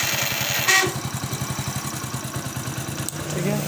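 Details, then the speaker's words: Hero HF Deluxe self-start motor making a bad 'kachar kachar' noise: fast, rough rattling chatter while cranking with a sharp click as the starter engages, a worn starter grinding before repair. "काफी खराब आवाज कर रहा है तो इसको हम कैसे सॉल्व करें"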